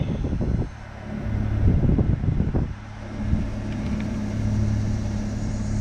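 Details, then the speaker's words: Dodge Caravan after replacing the faulty HVAC blend-door actuator that was knocking and clicking under the dash; AC and heat working, steady low blower hum, no more knocking; another actuator may still need replacing. "no more knocking sounds good forgive me cause I'm tired so that is that I fixed the annoying knocking noise it's not knocking anymore"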